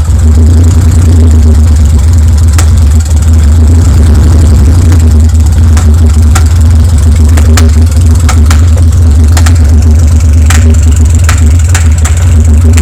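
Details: BMW N52 (N52N) misfiring on cylinders 4, 5 and 6, exhaust removed while checking for restriction: loud, lurching, stumbling open-exhaust idle. The exhaust camshaft is broken, the valves seemed OK and the catalytic converter is destroyed.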